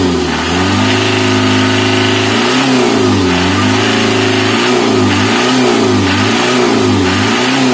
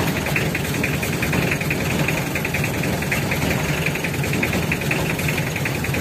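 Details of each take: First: Mitsubishi L300 diesel being repaired for stinging white exhaust smoke, now with clean exhaust. The engine is blipped repeatedly in even, smooth, crisp sweeps with no misfire or stumble: normal revving. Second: Mitsubishi L300 diesel with stinging white smoke in the morning: warm idle with rough, uneven clatter and irregular knocks; leaking fuel injectors, which if left unfixed could break piston rings.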